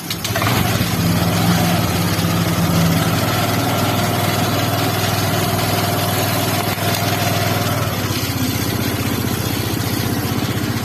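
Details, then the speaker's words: Honda Vario 125 after water pump installation, bolts tightened evenly, first start before coolant hoses fitted: engine catches and holds smooth even idle, no noise or roughness; pump impeller correctly engaged with camshaft. "Ya teman-teman, ini udah bagus ya, tidak terjadi noise ataupun kekasaran ya."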